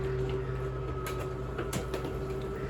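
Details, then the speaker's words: RV slide-out room retracting via the slide-out switch: steady motor hum with light clicks and thumps as the bottom comes in first, then lifts slightly at full retraction with a clicking sound; normal slide-out retraction. "you'll notice the bottom of the slide out comes in first that's normal that's what's supposed to happen when it gets all the way in it'll lift up a little more and you'll hear a clicking sound"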